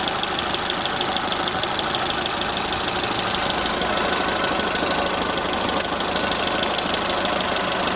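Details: Toyota Corolla Ceros, 4A-FE engine, C50 manual gearbox, idling: fast light ticking about three per second over hissing from a slightly leaking exhaust corrugated pipe; owner unsure if valve or gearbox shafts.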